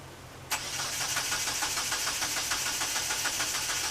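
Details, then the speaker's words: 1997 Eclipse GSX crank-no-start with jumper cables on a weak battery, plugs and wires swapped, fuel pump now giving pressure and return flow: starter spins the engine with an even, quick chug, sometimes fires but never catches and runs. "it cranks and sometimes like fires I know the field pumps going on cuz like if before it wasn't but now I'm actually getting feel pressure and feel out the return the fuel pumps kicking on I gotta figure this out"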